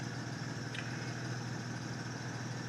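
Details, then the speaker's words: 2008 Acura TL 3.5 V6, 143,000 miles, after misfire repair with valve work thought done under 5,000 miles earlier: smooth, even idle hum with unbroken rhythm and no stumbles; running clean, one stray misfire count already cleared. "She's running good."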